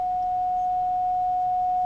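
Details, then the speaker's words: Philco 41-280 radio field coil speaker with a DC supply on the field coil: a clean, steady 700 Hz test tone without buzz or distortion, getting louder as the field voltage rises; field coil energized and working. "the DC voltage up the amplitude of the signal from the speaker is getting louder"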